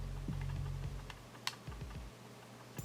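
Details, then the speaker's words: Gaming mouse shaken side to side with the buttons held in: light, irregular plastic ticks, a loose rattle; the tester assumes it is sensor rattle, though it may come from the buttons. "even with the buttons held in it sounds like something down here is rattling so I'm going to assume it's a sensor as well"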